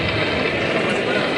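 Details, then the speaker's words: Pump demonstrated for cavitation: steady gritty crackle like gravel rattling through the casing over a constant run, from imploding small bubbles; pump cavitating, no non-cavitating comparison available. "La cavitation, pour les gens qui ont des pompes, qui connaissent les pompes, c'est ni plus ni moins que l'explosion de petites bulles d'éléments"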